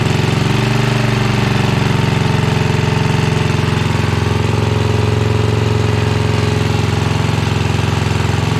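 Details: 1982 Snapper Comet riding mower, 8HP Tecumseh single-cylinder, choked start: pounding hard and fast at full throttle with rough beat; only runs at full throttle, carb still needs tuning before it will idle down.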